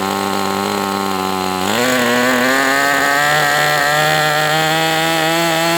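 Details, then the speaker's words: MDS 68 FS Pro model four-stroke on break-in run, warmed to operating temperature, still tight with high pinch, running better than with idle bar plug; steady high buzzing note rises and settles cleanly, no misses or sag: running healthy. "It's really warmed up to operating temperature now. So, I mean, right now I'm not unhappy with this engine. It is what it is, but it seems like it's doing well now."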